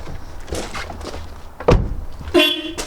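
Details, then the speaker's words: Mercedes-Benz 190E garden find, long-stored mouldy car, on the key with spark plugs out: clear steady half-second honk amid shuffling and clicks; horn works normally. "horn works. She's coming to life."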